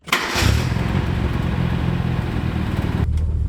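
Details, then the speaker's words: 1979 Mercury Capri Turbo RS sitting 23 years, after brake work and fixing split brake booster vacuum hose: brief crank, catches right away and settles into a smooth steady run; normal start. "Fires up like it's new."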